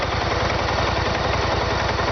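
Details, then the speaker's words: 2013 BMW C650GT scooter at idle, oil level checked full: rapid, even low pulsing with slightly rough, chattery edge, steady rhythm; this model's normal idle sound, matching other examples. "It's just its way of sounding. And I've seen other clips on YouTube of this bike running, and it all sounds the same."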